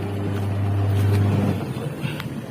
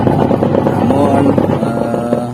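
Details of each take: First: Polytron twin-tub washing machine after repairing the wash motor (dinamo) that would not turn the pulsator, tested via wash timer: smooth, even low motor hum with no knocks or grinding before winding down; normal wash motor run. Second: Polytron twin-tub washing machine whose wash pulsator won't spin; the fault is traced to the wash motor (dinamo) linked to the wash timer. A rough, uneven motor drone with a wavering grinding note, noisy and rough; the spin tub works fine.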